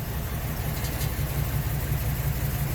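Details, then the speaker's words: 2006 Ford E-Series Econoline V10 running really rough at idle: irregular pulsing lope shaking steering wheel and door; code P0306, cylinder six misfire. "okay so now we're looking at a 2006 e series econoline vehicle with a um v10 in it that's running really rough"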